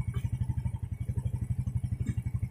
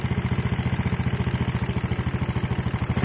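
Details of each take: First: Yamaha Jupiter Z carbureted motorcycle with a hard-starting complaint, after its carburetor idle screw, set three turns too tight, was backed out three turns: an even, steady low putter about eleven pulses a second with no misses. Normal idle. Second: Yamaha Jupiter Z single idling, oil about two months old: fast, light ticking over the putter, steady through blips; valve tick from loose valve clearance, checked before suspecting the piston.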